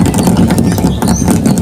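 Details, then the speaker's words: Large overhead water tank with a newly added second outlet, tested with the water pump running: steady rushing splash of water falling in over a low pump hum, no gurgle or surging, filling normally. "Pasok na yung tubig dito sa yan. Rinig na yung bagsak ng tubig,"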